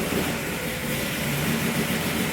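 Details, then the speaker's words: Pontiac Tempest started cold after sitting all winter, no choke, running lean and kept alive on the accelerator pump: uneven, fluttering idle rumble that never settles; cold lean rough idle. "There you go, sitting all winter. Now it's lean, so it needs to be juiced a little bit. It needs to run on the accelerator pump since it doesn't have a choke."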